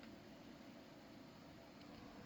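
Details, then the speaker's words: HP Pavilion P6000 series desktop case fan stuck at high idle after restarting, a faint constant airy whir with steady hum and no slowdown; fan running at high speed. "Fan's still idling at high idle."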